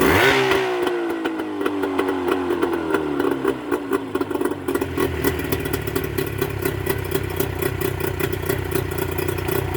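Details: Mercury 25HP two-stroke outboard in neutral after the Boyesen power reeds are fitted: ticks over at an even four or so beats a second, no stumbling or rattle. Normal running, works great now.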